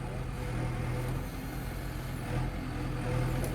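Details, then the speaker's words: Diesel machine driven under load: steady deep drone with even hum, no knocks, squeaks or clunks; silent, though not yet greased. "कोई आवाज नहीं silent है बिल्कुल बस Greece नहीं है अभी"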